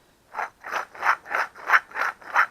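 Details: Front wheel bearing hub from a 2004 Dodge Dakota without front ABS, causing noise at 40-60 mph like driving on a dirt road; turned by hand near the mic, rough gritty ratcheting instead of smooth spin; worn bearing.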